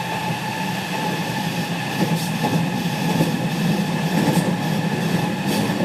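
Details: JR West 207 series 1000 T17, recorded aboard KuMoHa 207-1037 (Toshiba GTO inverter), Tokuan–Kōnoike-shinden, iPhone 5s: steady stacked whine with a clashing two-voice quality over rail noise, as the Nishi-Akashi/Shin-Sanda-side inverter modulation is out of step with the Kyoto/Kizu side.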